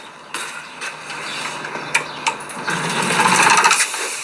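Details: 2025 Aniioki A9 Pro dual-motor e-bike, front hub motor under assist at levels three to five: motor whine with irregular clicks and rough grinding about four per second; noise persists even after front motor replacement.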